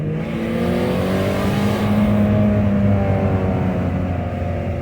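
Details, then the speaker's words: Nissan Altima bought for $50, on a test drive: revs climb to about 6,000 rpm redline with only a little throttle, a loud rising roar the driver doubts is normal. High revving under light throttle. "We're like red lighting it at 6,000 RPMs with just a little bit of gas. Yo. Yo, this can't be normal for Altimas, bro."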